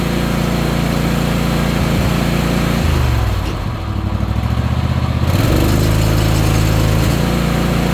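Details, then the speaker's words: Ariens Apex mower with Kohler 7000 series twin, 238–239 hours, oil checked, owner reportedly changed spark plugs and fuel filter: uneven lumpy idle sagging then recovering; one cylinder not firing, cause not confirmed. "Oil. Yeah, we checked oil. It almost sounded like one cylinder was out."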